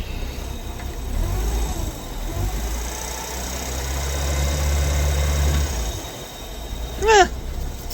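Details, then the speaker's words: 1967 Plymouth Barracuda heater blower motor: steady low drone hums evenly a few seconds then stops; fan runs rough and loud, possibly needing shaft lubrication; noisy heater blower motor. "Oh well, let's see what happens when we start it. Yep, it's a blower motor."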